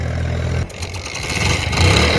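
Single-cylinder thump that catches and settles into an even, steady idle with a brief blip; the bike starts and runs fine.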